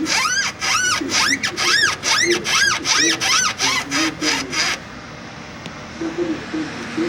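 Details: Volkswagen CrossFox G6 suspension: sharp rhythmic creak about two and a half times a second as it is worked, from worn stabilizer bar bushings; fixed by replacing the bushings and stabilizer links.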